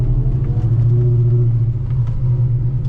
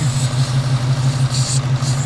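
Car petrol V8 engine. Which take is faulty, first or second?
second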